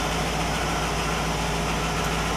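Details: 1960 Pontiac Catalina 389 V8 idling on a Heathkit IO-20 ignition oscilloscope: steady, even idle, smooth low thrum, no misses, knocks or ticks; all cylinders consistent, engine healthy.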